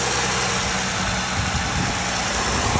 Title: Is this injector chatter or lifter tick? 55k miles.